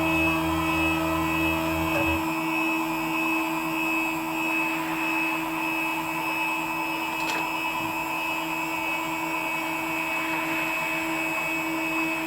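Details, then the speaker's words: WorkBee CNC router with upgraded TB6600 4-axis parallel-port driver board under Mach3, machine home button pressed, axes moving slowly to limit switches, Mach3 then reads 0,0,0. Steady constant-pitch stepper whine, low drone dropping out early; normal homing cycle. "might take away i don't get the machine moving too fast i mean you know it's not gonna take a minute or two not even a minute"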